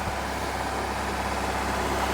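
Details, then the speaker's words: Normal idle after a car with a totally dead battery was started using a GOOLOO GP3000 jump starter's boost button: steady, even hum with no misses or stumbles. It stays running. "Yep. I'm able to fire it up. It stays running. Stays running, stays running."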